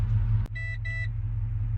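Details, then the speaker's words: Holden VZ, just serviced, with a brand-new alternator and new battery, at idle: two short warning chimes over a steady idle rumble as the dash cuts out. The dash returns when the fans kick on and drops when they turn off; the radio also cut out. Cause unknown. "When the fans kick on, the dash comes back on. When the fans turn off, then the dash turns off."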